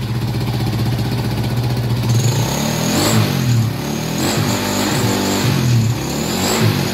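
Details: Honda Wave 100 after cleaning a carburetor left dirty for half a year: kick-started engine picks up cleanly and settles back with a steady even beat, no misfire or popping.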